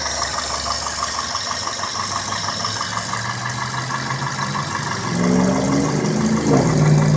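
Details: 2002 Toyota Corolla S, 1ZZ-FE engine, at idle: light, regular ticking roughly three clicks a second over a quiet idle, seemingly up top; cause not yet pinned down.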